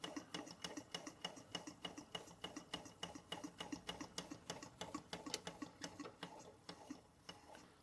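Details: Bing 10/110 poppet valve steam engine on original spirit burners, below 1 bar (about 10 psi), steam oil added, maintenance run: light, quick ticking about three beats a second in a quiet room; engine and its water pump working normally.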